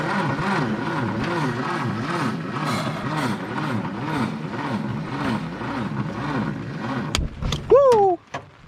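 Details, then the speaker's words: 1962 Hillman Minx abandoned in the woods about 40 years, engine turns free, carburetor leaking from a crack or bad gasket: labored slow cranking, about three compression strokes a second, never catches, then a few sharp pops; likely cranking too slowly to start. "we're gonna see if she'll even try to hit i doubt it because she'd be spinning too slow but it is worth a shot just for fun"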